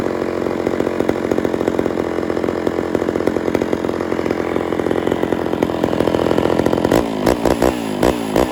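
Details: Homelite Super XL chainsaw after cylinder and carburetor rebuild, during low/high screw and idle tuning: crisp, even buzz at steady high speed, then a few clean throttle blips; normal running.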